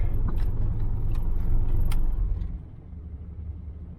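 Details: Truck sat 10 years, V8 shaking at idle, worse in drive: deep, lumpy idle with uneven pulse that settles and quietens partway; rough idle, owner suspects the filthy carburetor, planning a Quadrajet swap.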